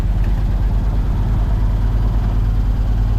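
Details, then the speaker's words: 1973 Dodge W200 with a reportedly new carbureted 360 V8, after a fuel tank and battery were fitted; deep, steady idle with no ticking or misfire, healthy. "gas tank battery fired right up heck yeah all right she's idling"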